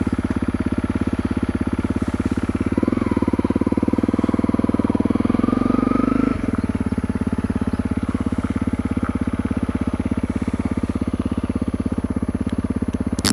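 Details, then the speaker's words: Honda CRF250L with FMF Q4 HEX slip-on exhaust, stock head pipe: steady unhurried single-cylinder idle, deeper and louder than stock but not obnoxious; normal idle. "But actually, it's not obnoxious loud sitting here idling. I mean, that's not that loud at all. You can tell a big difference over stock, but to me, it don't sound that obnoxious loud."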